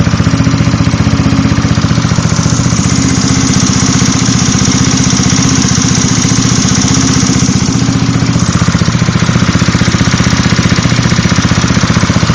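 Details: Zuma 125 scooter at idle: sharp even ticking about four a second from fan area or just behind, following engine speed; cam tensioner or lightweight fan suspected, tensioner reset planned to verify.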